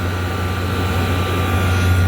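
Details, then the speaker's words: Whirlpool Designer Style 25,000 BTU window air conditioner, R22, Bristol reciprocating compressor, first start in years: steady, even low hum with faint constant high tone, no knocking or rattling; compressor running smoothly. "ah, this Bristol sounds pretty contented, and for the first start, and who knows how long."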